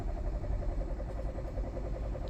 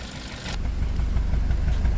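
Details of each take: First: 2020 Hyundai Tucson 1.6 turbo GDI, about 100k km, vibrating with little power and no check engine light: cranking in clear flood mode to check the cadence gives a steady, even rhythm with matching compression pulses and no stumbles. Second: 2020 Hyundai Tucson 1.6 turbo GDI, dual clutch, about 100k km, no check engine light: deep idle exhaust note heard at the rear with an uneven stumbling pulse confirming a misfire; scan tool could not identify the cylinder.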